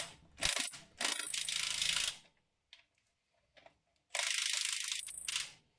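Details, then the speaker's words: Nissan S13 200SX/240SX with a Brembo kit and 350Z 324x30mm discs, wheel hand-spun. Soft whooshing scrape bursts as the loosely fitted pads lightly touch the rotor; harmless rub, and the disc turns freely. "So this sound which you hear is because the brake pads are now loosely in, so they touch a little bit the braking surface, but as you can see, it's like moving really good."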